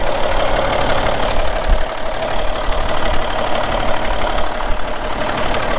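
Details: Caterpillar B-model diesel in a Peterbilt 378, about 433,000–435,000 total miles, sits most of the time, oil-pressure override button, minor front structure leak: deep, steady idle with even firing and no knocks or misses. Normal idle.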